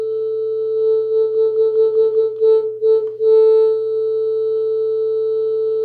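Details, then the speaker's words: NAD C326BEE amplifier, about five years old, owner reports fading right channel: clean test tone breaks into scratchy crackles and dropouts as the volume knob turns; worn volume potentiometer, a known NAD problem. "tragedia wzmacniaczy oczywiście stosunkowo młody klienta to pewnie ucieszy ale muszę to powiedzieć tak wygląda współczesny sprzęt został problem potencjometrów na dach jest znany"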